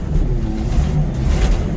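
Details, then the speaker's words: 1980 Ford LN700 truck, 370 big-block V8 four-barrel, sat for years: deep steady burble with even low pulses, no misses or knocks, hitting on all eight; a bad exhaust leak is known. "sounds like it's hitting on all eight it's got a bad exhaust leak which I saw when I looked at it last week"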